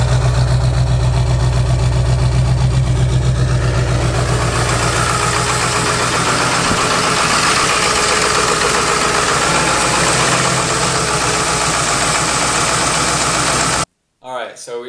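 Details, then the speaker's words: 2002 Ford F-350 7.3 Powerstroke diesel, first start after engine and cab reinstalled during seal work and coil-spring axle swap, starter corrected: fires and settles into an even, steady idle clatter, no misses or odd knocks. "and now we have the motor back in the cab on and it's running so that's a very good sign"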